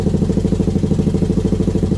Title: Brute Force 1st fire up after rebuild